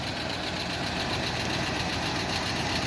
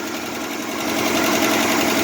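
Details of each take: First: 1968 Jeep Wagoneer with a 1972 AMC 360 V8, revived after sitting a year (timing chain previously replaced), fully warmed after a short drive. Smooth, steady idle with a faint light clicking that the owner suspects is an exhaust leak. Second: 1968 Jeep Wagoneer with swapped 1972 AMC 360 V8, revived after sitting a year, just started and idling: quick light ticking chatter keeping pace with engine speed; valve train noise, carburetor also leaking fuel.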